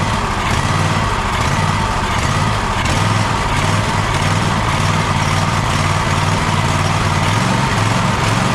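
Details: Gravely ZTX 42-inch zero-turn mower during 160-hour engine service, after fuel line reconnected: engine idles with uneven hunting beat, lumpy irregular firing pulses; still running rough.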